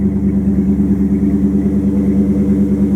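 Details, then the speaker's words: 1929 Chrysler 360 with Edelbrock AFB, after straightening bent metering rod that made passenger side run rich and foul plugs: even, steady exhaust beat, smooth low drone, no stumbles; previously running on only four cylinders, now healthy. "Sounds a lot better. Running on 4 cylinders was not doing it any good."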